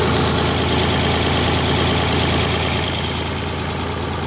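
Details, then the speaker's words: Vintage Ford 3000 diesel tractor after wiring a universal ignition switch, fuel on, PTO off, transmission in neutral: starts easily and settles to a steady, even idle with a regular beat, no misses or knocks. "Let's crank it. Like a clock. Beautiful."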